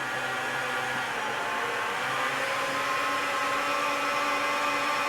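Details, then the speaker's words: 2018 Jaguar F-Type SVR 5.0 (flood-damaged) with newly fitted replacement engine, cranked in park without spark plugs to circulate oil; even steady starter whirr, spinning freely with no knocks or binding; normal cranking. "new engine turning over. Let's just turn over again, get that oil circulating. Yeah, sounds good."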